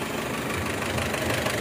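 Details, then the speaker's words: Mitsubishi Strada Triton common-rail diesel after injector service for hard starting and white smoke: white smoke gone but light steady tapping persists over idle clatter, traced to cylinder two injector; improved, not gone; diesel injector knock. "Jadi untuk kebulan asap putihnya Alhamdulillah hilang lulur ya kepulan asap putih hilang dan suara takutnya itu masih ada jalur yah suara tampaknya masih ada"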